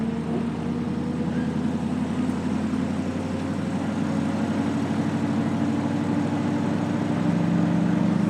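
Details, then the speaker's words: 2002 GMC Sierra 2500HD work truck after replacing exhaust manifold gaskets and bolts: steady, even note rising gently on pull-away, with none of the earlier exhaust popping and snapping; clean, sealed, quiet, normal pull-away. "before it was just you know just popping and snapping and all that is so annoying but that's nice and quiet"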